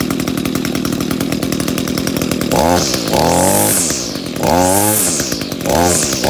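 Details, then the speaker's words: Echo GT 200R two-stroke trimmer after replacing its carburetor with a Zama RB-K70A, idle screw adjusted up: steady buzzing idle, then three quick clean blips that climb high and drop back smoothly; good throttle response. "Got good throttle response."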